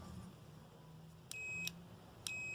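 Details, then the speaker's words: Kenmore top-load washer, new lid switch tested with a continuity tester on the two non-ground wires: two short high beeps as the switch clicks closed, so the switch is good. "Yes, it works. I can hear the beep when this clicks. So we have a brand new switch."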